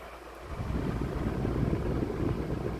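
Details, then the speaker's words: Lasko 16" wall fan model 3016 (2006-07) on low speed, after freeing seized bearings: low uneven rumble and buzz as it spins up, housing and grille shaking intensely from an unbalanced flimsy blade set. "I don't know if you can see this but it's definitely vibrating intensely and this way is not even that heavy which is quite insane yep that is not good"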